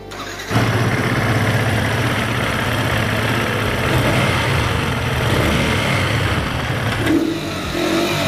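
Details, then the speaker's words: Yamaha R15M after tappet adjustment, injector and air filter cleaning, fuel pump wash and coolant change for high fuel use and engine noise: starts in half a second, steady even idle, no knocks or rattles. Normal start and idle. "Sound খুব সুন্দর হয়েছে"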